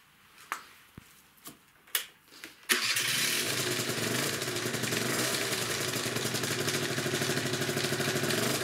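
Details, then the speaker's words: Aprilia SR two-stroke moped that bogs down pulling away: a few clicks then it catches into a fast tinny idle with a faint rattle; owner suspects the bendix or kickstart mechanism, so it must come apart again. "there's a rattle could be the bandits could be the kickstart mechanism"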